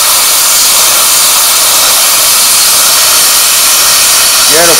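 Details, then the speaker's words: A 40 amp plasma cutter at 15 amps and 40 psi on plate holds a loud, steady, unbroken hiss; the arc is stable and cutting slowly, not completely through; normal low-amperage cutting. "quite slow but it's still cutting it so so well i would have laid money on that that wouldn't have cut that"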